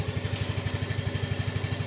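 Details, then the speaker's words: Yamaha Fino 125 that hesitated at low rpm and lacked mid-to-high power, started up: an even single-cylinder putter at about twelve pulses a second with no misses. It has a normal, stable idle. "untuk langsamnya sudah oke ya."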